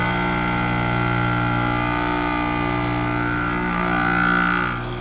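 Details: Heat pump outdoor unit forced into defrost on a warm day while in heating mode: steady compressor hum, then a short rushing whoosh about four seconds in as the valve shifts; normal defrost changeover.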